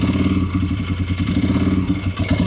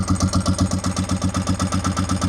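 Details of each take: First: Motorcycle started after oil change (almost four quarts 20W-50), brake and clutch fluid change and fitting a new $30 battery: engine ticks over at a quick steady beat with no knocks, then shuts down; normal running. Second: Motorcycle engine after oil, brake and clutch fluid change, cold and warming up: slow slightly uneven single-cylinder thumping at about 1,000 rpm with throttle held, won't idle on its own yet; owner hopes it idles once warm.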